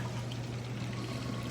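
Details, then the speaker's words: Magic Chef 1.6 cu ft portable washing machine draining through its hose: steady fast rush of water over an even low pump hum, no surging or gurgling; normal quick drain. "It drains very fast."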